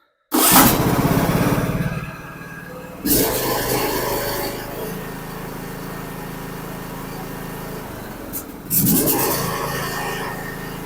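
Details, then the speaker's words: John Deere LA125 riding mower, after carburetor replacement and new air filter: catches right away, settles into even idle, revs cleanly twice; healthy. Carburetor crack possibly from water freezing. "well it runs light new again you know that's kind of puzzling how that crack that carburetor like that"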